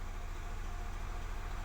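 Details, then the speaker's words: Nissan Almera with code P0302, cylinder 2 misfire, still on the suspect original coil, just started from cold: low, slightly uneven idle with the engine shaking, a rough idle from the single misfiring cylinder. "ตอนนี้ยังเป็นคอยลที่ว่าเสี่ยอยู่นะสูบ2อ่าเดี๋ยวจะติดเครื่องให้ฟังเสี่ยงกันเห็นมโค้ชยังอยู่นะแล้วก็เครื่องยนต์รู้สึกว่าสั่น"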